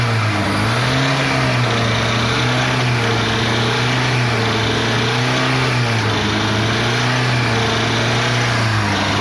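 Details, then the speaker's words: Chevrolet Celta VHC-E engine drones and struggles to rev, pitch wavering: internal clearances in the connecting-rod and main bearings, pistons and crankshaft play, blamed mainly on poor maintenance and missed oil changes; a full engine rebuild follows. "então eu espero que vocês tenham conseguido ouvir esse barulho que tá aqui fazendo Esse motor esses barulhos Eles são de folgas internas bronzina de biela bronzina de mancal pistões"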